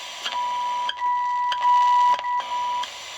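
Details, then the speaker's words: Unitra Eltra Alicja R-701 radio fed a 65.5 MHz signal-generator tone through a wire at the antenna, tuned to the end of the FM scale: thin tone around 1 kHz cutting in and out over hiss; weak detuned signal. "jest delikatny odstrojenie ponieważ generator pokazuje nam 65,5 jesteśmy na końcu skali bardziej nie jestem w stanie zjechać słychać delikatnie ale nie łapie"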